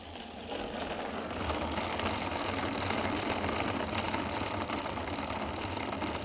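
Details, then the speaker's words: Islabikes Beinn 20 rear hub recorded with the microphone held close while the wheel is cranked: harsh rough rattling and grinding; worn freehub bearings. "i don't know how that sounds to you but it sounds absolutely horrendous to me"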